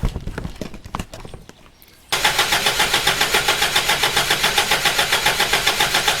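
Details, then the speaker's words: Toyota Hilux, first start attempt since body swap, on very low and possibly evaporated fuel: cranking with no start, then the coil is fed power directly and the engine catches, settling into a steady, even idle. "cranking no start there and then as soon as I put that on to there or hold it on there which I can't do and hold the camera' at the same time it fires"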